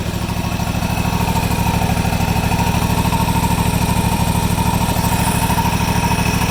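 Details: Deere GT235 riding mower, 1200-hour air-cooled Kawasaki, cold, at governed idle during speed adjustment after carb work for repeat lean surge; even, steady thumping idle with regular beat, no hunting or surging.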